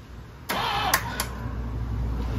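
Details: 1984 Camaro Z28, 355 small-block with Weiand 144 supercharger and Brawler 750 carb, sat over a year, messy wiring, cranked by touching wires together: a click, then the starter spins the engine evenly for two seconds. Normal cranking.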